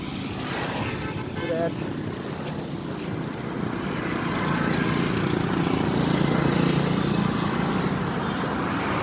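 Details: Tata Altroz XZ engine after its 10,000 service: steady, even hum with low rumble and no knocks, ticks or rattles; the earlier engine noise is gone and it runs smoothly.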